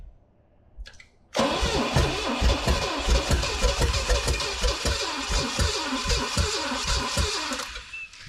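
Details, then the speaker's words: 1969 Pontiac GTO, apparently Pontiac 350, sat 35 years: V8 catches but runs ragged, stumbling and uneven, starter seemingly keeping it running; misfire, owner notes a badly worn cam. "Oh, it's getting there. Oh, it's getting a couple pistons. Oh, it's like right there. Oh, I almost think the starter's just keeping it running."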